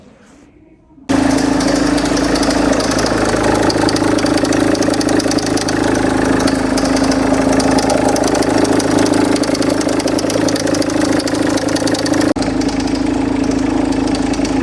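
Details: Range Rover Evoque, owner's own car, at idle before replacing the auxiliary belt idler pulley/tensioner: engine catches and settles with a dry metallic rattle over the running note, and the owner remarks it doesn't sound happy.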